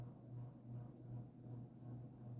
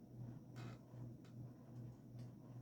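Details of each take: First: 1986 Evergo GE-Vent 52-inch hugger ceiling fan, stamped motor, with light kit and globe, on high: low, steady hum with a gentle rise and fall and no rubbing or clicking; slight wobble but not noisy, good airflow. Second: Evergo GE-Vent 52" hugger ceiling fan, 1986, stamped motor, model 4E-6EALW-P3S, with light kit and globe, on low speed: faint hum with soft rhythmic ticking two or three times a second, something rubbing or loose, cause unknown; abnormal noise on low.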